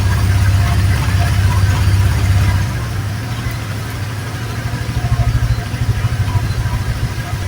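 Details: Honda Vario 125 fuel-injected scooter during charging-system checks, battery 13.08 V before starting, dropping to about 11 V on cranking: starts and settles into steady, even low idle with smooth regular beat, no knocks or misses; healthy.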